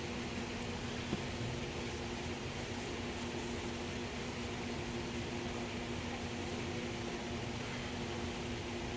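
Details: Mercury 4/5 hp outboard, 16 years old, with a new carburetor and parts, tested on the water: steady, even drone with no misses or knocks, idle set too high and needing throttle linkage adjustment.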